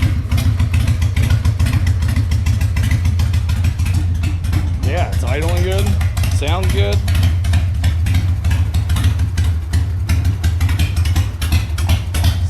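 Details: 2003 Harley-Davidson Sportster 1200 anniversary edition after CV carburetor teardown, cleaning and reinstall, even loping V-twin idle with steady low thump, no misses or stumbles or fuel leaks, still slightly cold; normal idle.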